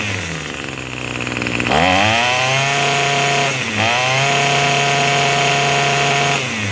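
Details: Craftsman 27cc two-stroke string trimmer, made January 2013 and obtained free, on a start-up test after an earlier sudden stall: it buzzes at idle, revs up cleanly, dips briefly and picks straight back up; runs steadily and sounds pretty good, though it is smoking.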